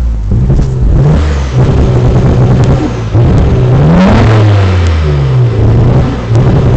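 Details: Nissan Skyline GT-R revving: engine stumbles and bogs with pitch dips and uneven pulses as revs climb and fall; misfire, cause not yet clear.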